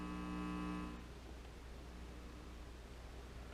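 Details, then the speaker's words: Inexpensive stereo amplifier kit on regular mains power: faint, steady 60 Hz hum in both speakers under silence; the builder assumed a grounding issue or ground loop, and the hum changes when the filter caps are touched. "there's a little 60 cycle hum and the speaker in both speakers I'm assuming that's a ground ing issue or ground Loop or something"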